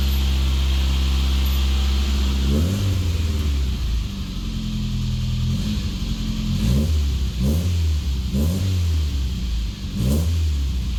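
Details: Classic Mini after blown head gasket (engine never converted to unleaded) repaired with a second-hand head, all new gaskets and fresh oil: steady low idle and clean blips rising and falling smoothly, no knocks or misses; running normally.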